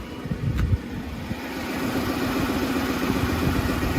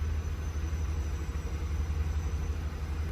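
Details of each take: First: Freshly rebuilt Lincoln Navigator V8, warm, idling way too high with a slightly uneven, shuddering beat; aftermarket tune suspected of altering the engine computer, possibly a cam-phasing issue. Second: Lincoln Navigator warm restart, hot idle in park, no accessories: deep, steady low rumble at about 700 rpm, no ticking, smooth and settled; previously idled 800–1100 rpm with a shudder, now at factory calibration; construction noise in background.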